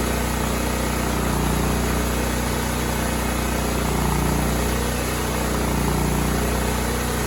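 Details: Cub Cadet 2166 mower, 16hp horizontal Kohler Command single-cylinder engine, running after a new fuel pump and a replaced brake spring switch activator. It needed priming, then ran an even, steady thump at constant speed with no surging or knocking. Healthy.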